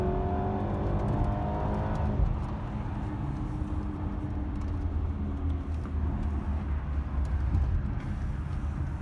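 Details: BMW petrol engine with the check engine light on, idling with a low, uneven rumble that stumbles now and then from a misfire.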